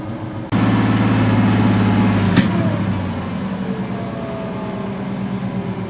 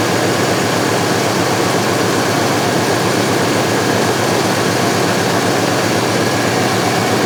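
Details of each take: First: 1970 C10 with stock 1998 Gen VI Vortec 7.4L 454 V8, rough running: revved hard, one sharp mid-rev pop then back to idle; backfire, fuel rail later read 47. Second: 1970 C10 with 1998 Vortec 7.4L (454) big-block after replacing old spark plugs that caused rough running: dense, steady V8 roar, even tone, no stumbling or popping; now running smoothly.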